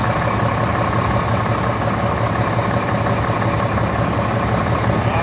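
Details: Diesel truck idling right after first start following about four weeks unused during corona self-isolation: even low diesel clatter, steady, no stumbling or knocks. Normal idle.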